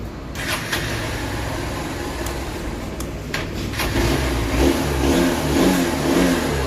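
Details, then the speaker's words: Honda Unicorn BS6 motorcycle after fixing a no-start on the electric starter caused by wiring voltage drop: starts on self-start, settles to an even idle, revs up and down smoothly without misfire; normal. "ഇനി വണ്ടി self അടിച്ചാൽ start ആകുമോന്ന് നോക്കാം start ആണ് വണ്ടി"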